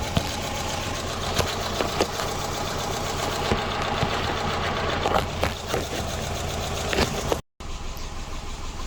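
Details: Subaru Impreza with P0301, P0303 and P0038 codes: the idle stumbles unevenly, with irregular pops and dips breaking the beat, a persistent misfire that never settles into a steady rhythm.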